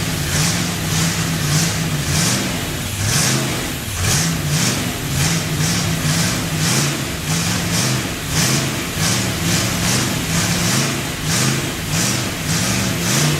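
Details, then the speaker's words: Freshly built Chevy 283 first start with a vacuum port left unplugged: lumpy idle surging about once a second with hissy intake noise from a big vacuum leak; covering the carburetor by hand made it run better. "that's why when you saw me putting my hand over the carburetor it sounded better it had such a big vacuum leak"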